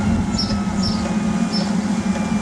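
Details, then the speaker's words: Eberspacher D5W 5 kW 12 V water heater on low power after reaching 60°, just circulating warm water: a quiet, steady hum with a soft pump whir, no rattle or pulsing. Normal. "power usage just circulating the the heat Mount warm water that's in the system when it drops down 50° around there it'll go back into boost mode as you can see see it's running nice and quiet"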